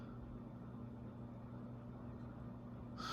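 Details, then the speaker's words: ConTech CT56 56-inch industrial ceiling fan dated 1993, rated 76 W, run at about medium on a generic dial control: low hoot-like drone with a sharper squealing rise near the end from badly worn motor bearings. "so right about now you can actually hear the bearings in the fan the bearings on this fan are pretty bad"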